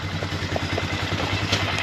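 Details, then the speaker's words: 2003 Polaris Sportsman 400 ATV just after valve adjustment and reassembly, choke off, at idle; an even, steady thumping single with no knocks, ticks or misses, and it takes throttle; normal idle, though the machine is not charging. "That's a choke off, that's idle. It is really running nice. Look at that. It's taking throttle."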